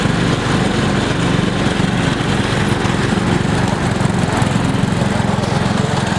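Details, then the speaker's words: MTD lawn tractor during a durability test: small engine runs rough and choppy, about three uneven pulses a second with no steady squeal; abnormal, and the belt later kept slipping off, so it was replaced. "That sounds crazy. We want to go get a new belt."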